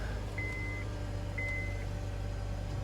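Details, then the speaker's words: 2010 Honda Accord 4-cylinder idling after drive belt replacement, pulleys checked lined up properly; smooth low idle drone with no belt squeal or chirp, two short dash chimes: belt drive running normally. "Alright, so the tri-bell looking good. All the pulley line up properly."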